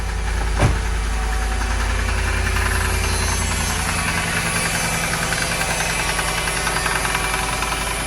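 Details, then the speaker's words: Mercedes V8 at idle with a loud, fairly regular knock over the rumble, about two or three beats a second, likened to a drum line; source not yet pinned down. "god sound like it's coming from this area that sound like the drum line at a football game what is that i can't tell where it's coming from"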